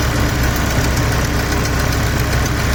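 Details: 2007 BMW M6 manual, S85 V10, warm idle: fast, light tick over low rumble, began after sitting months on old expired oil, persists after oil change, not heard cold, very apparent warm; cause not pinned down.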